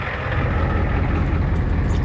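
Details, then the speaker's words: Ford 6.9/7.3 IDI diesel with Stanadyne DB2 pump, after replacing the fried fuel shutoff solenoid and bleeding air from the fuel system: steady even diesel clatter at idle, no misses or surging; runs normally. "well it was completely full of air and uh fought me for about 20 minutes but uh it's good now"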